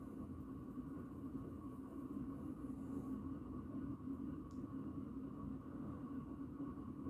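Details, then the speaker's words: 36" 4 Seasons Galaxy ceiling fan with brass switch cap, running on medium speed: steady low rumble and mid-pitched drone from very bad bearings getting really loud, and the fan starts to wobble. "you can hear the bearings are starting to get really loud now it's starting to wobble a bit now starts to wobble on medium it's making some more noise as well"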